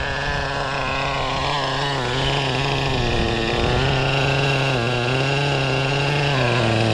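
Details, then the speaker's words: O.S. 21 TM nitro engine in a Traxxas RC being tuned. Screams at high revs, the pitch wavering then climbing and steadying as the mixture changes audibly from rich to lean. "cuz you can really hear the the engine change went from Rich to lean like that"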